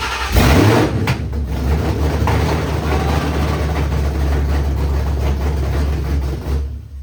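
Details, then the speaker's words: 1966 fastback with Coyote V8 swap, PCM flashed back to stock, first-start wiring troubleshooting, no fuel pressure reading: engine catches with a burst, runs rough and uneven for several seconds, then fades out and dies; stalling, cause unknown. "okay, it ran for a bit and it turned off. I don't know what happened, but I was very excited to see the normal buttons working again."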